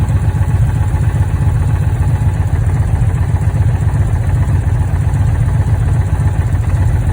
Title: Challenger misfire codes